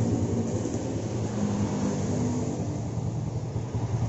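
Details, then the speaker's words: Yamaha Jupiter Z after replacing the faulty vacuum fuel tap; starts on one kick and idles with a steady, even putter, no stalling or misses; normal idle. "ngomong tuh udah gak mati-mati lagi kayak tadi ya berlangsungnya juga stabil"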